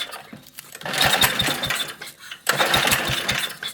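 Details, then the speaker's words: MTD walk-behind lawn vacuum blower with a Briggs engine, unrun for about three years, pull-started with starting fluid sprayed in: two rapid sputtering bursts, and on the second pull the engine nearly catches before dying. "Oh, that's close."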